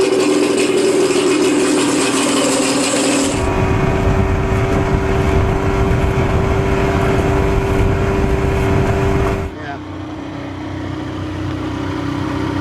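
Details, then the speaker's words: 1987 Johnson 40 hp two-stroke outboard in water, briefly warmed up, previously not reaching full speed: runs steady and strong, then drops smoothly to a lower even note, no misses or knocks. "See, she sounds great. That motor did real well on my boat."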